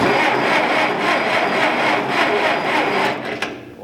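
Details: Massey Ferguson 65 tractor, known no spark, safety neutral switch bad: even starter chugging about four turns a second, engine rolled over to prevent seizing, never fires; cranks, no start.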